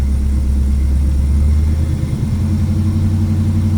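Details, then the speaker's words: 1968 Chevy Camaro SS V8 after new spark plugs, not yet warm: deep steady idle with an even lumpy beat and no misfire stumbles or exhaust pops; idle that previously sounded terrible now sounds good, slight stumble still felt. "That sounds really good. Guys, that sounds really good. It was at idle that it sounded terrible."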